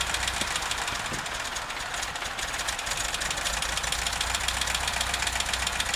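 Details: VW Vanagon T3 that gives strange smoke when cold: at idle a fast, sharp ticking knock at nearly four per second over the engine hum; source of the knock undetermined.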